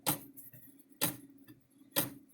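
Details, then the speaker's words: Old AgWay electric fence controller: sharp click about once a second, each followed by a softer pop as the stretched spring lets the timing wheel overswing and hit its back stop; balance wheel overswing hitting back stop. "see there's where it's hitting the back side you kind of hear it hitting twice that softer pop is the hitting the back side"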